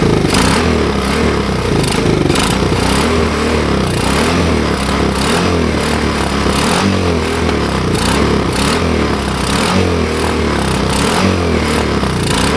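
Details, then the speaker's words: China quad after CDI replacement fixed its no-run: small engine running unevenly, surging and lumpy, only holding with choke on; owner suspects it is running lean and the carburetor needs rebuilding. "I don't know if you guys could hear it but it's uh it's kind of running a a tad lean I had the choke on for it to run like that so I got to get into that carburetor spend a few minutes rebuilding it"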